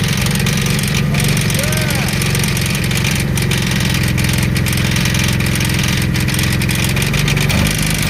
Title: Rod Knock #shorts #jeepthing #rodknock